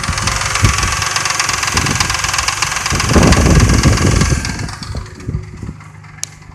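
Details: Truck before adding Marvel Mystery Oil: fast light ticking about three or four per second over an uneven idle; friend suspects lifters; tapping at idle.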